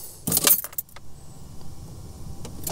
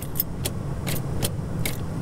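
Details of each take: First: Old Toyota LandCruiser (80/70/60 series) with an added fused relay feeding the starter from the battery, triggered by the factory starter wire: after key rattle, a brief crank catches straight away and settles into a steady, even idle; starting fixed. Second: Old Toyota LandCruiser (60/70/80 series) with an intermittent no-start that a new starter did not fix: sharp single clicks about twice a second with no cranking, caused by voltage drop in the starter wiring.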